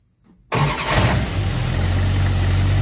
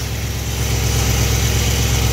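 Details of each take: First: Engine started with ignition timing at about 1° initial advance and the vacuum advance port plugged, before advancing to 12°. It cranks, catches and settles into a low, slightly uneven lope; rough idle from retarded ignition timing. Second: Engine idling after timing was advanced from about 1° to 12° initial advance, with the vacuum advance port plugged. Steady, even low idle hum with no misses; it smoothed out, giving a normal idle.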